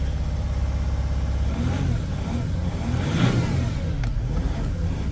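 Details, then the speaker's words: Chrysler 300C diesel that wouldn't start after a break-in. After starting spray was put into the airbox to help draw fuel through air in the system, it runs smoothly with a clean rev and settle and no knocks or misses. "running like a TR like a Swiss watch listen to that Mercedes purr sorry krysler let's get the parking brake on and uh I don't want to blow my trumpet too much but oh that's a beautiful noise"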